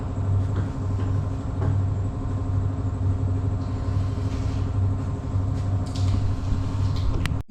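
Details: Husqvarna 553 RBX brush cutter, previously overhauled, after repair: a steady, even engine drone with no misses or surging, running smoothly and healthy.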